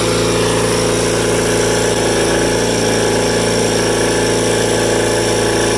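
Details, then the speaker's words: Rare factory-built Cub Cadet garden tractor twin engine at wide-open throttle, governed at 3600 rpm: steady, even high-speed drone with no skips or surges; runs cleanly. "so doesn't skip a beat an interesting thing to note about this is that for whatever reason cupcadet governed these engines at uh 3600 rpm wide open"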